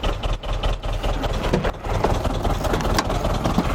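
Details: Iveco 35-8 diesel van: while driving cold, a sudden loud bang then clack-clack knocking; now a rough idle with uneven knocking through the low rumble, owner suspects a spun rod bearing (unconfirmed).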